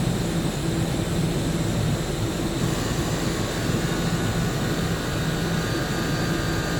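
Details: Land Rover Discovery 3 air suspension compressor, a replacement for one found bent after damage, tested on the floor while the engine idles: steady even drone, slow but filling the roughly 25-litre tank and raising the front; normal operation.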